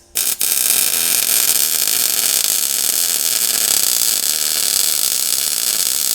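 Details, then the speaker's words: New welder, from usaweld.com, used to weld up tall backside welds on a 1937 Lincoln Zephyr: steady, crisp crackling snap with no sputtering or popping gaps; a hot, well-set arc. "You can hear that snap. It's just a hot arc. I really like it."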